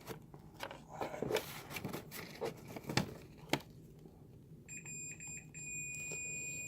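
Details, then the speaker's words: Continuity test between pads of a DALRC Engine BL32 4-in-1 3-5S ESC with ripped top connector pads: probe scraping, then a clean steady high beep confirming pad S3 connects to its pin. "we're gonna go to s 2 s 3 that's 3 you hear is beeping that's fine"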